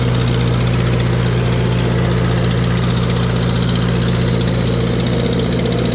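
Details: Tractor on PTO dyno under load, ~500 RPM PTO, pulling 35 hp (rated ~36); steady loaded running with occasional uneven beat about three pulses a second, slight miss not yet traced; exhaust manifold cracked, previously JB-welded.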